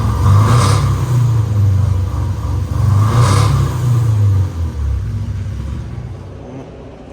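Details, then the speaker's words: Nissan 240 (S13) engine before LS swap, not believed blown but running weird; deep uneven lumpy rumble with no steady rhythm, runs rough, cause not pinned down. "right I drove this in here it still runs like I said it still runs it just runs rough"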